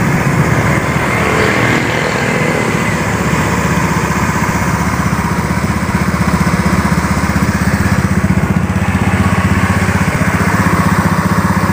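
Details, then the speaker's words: Honda Beat FI scooter after seized-engine repair, reassembled and running: steady even idle at about three beats a second with no misses or knocks; compression raised from 20 to 40 PSI, engine now runs normally. "Jadi motor ini hidupnya sudah normal, ya, sudah bisa setensioner."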